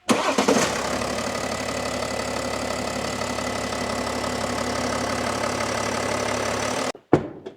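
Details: BMW X5 M Sport diesel, ex-finance repo, replacement used engine fitted and immobilizer removed: brief crank, then it fires and holds a smooth, steady diesel idle for several seconds before cutting off; nothing irregular heard.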